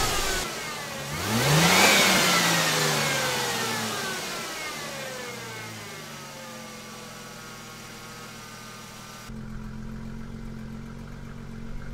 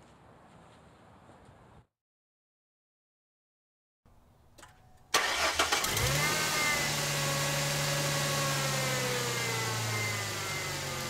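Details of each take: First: 2002 Mustang 3.8L V6 with 105k miles, after Pacesetter shorty headers replaced leaking exhaust manifolds; stock midpipe and muffler, traction control off; revs rise and fall smoothly, then settle to a tight, tick-free idle. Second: 2002 Ford Mustang 3.8L V6 automatic, 105k miles, stock exhaust, before shorty headers: cranks and catches, idle with quick sharp ticking over exhaust note from leaky passenger-side exhaust manifold.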